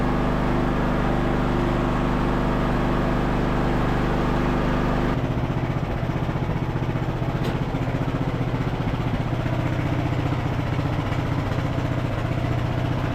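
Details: Revived Craftsman LT1000 riding mower, single-cylinder, being driven through its 6-speed gears: steady, even putter throughout with no misses or knocks; running really smooth, though brakes won't hold on a hill.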